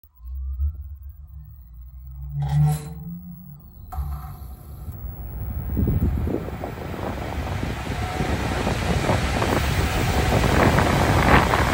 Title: Goodman Furnace Noise Vibration Issue - Blower Startup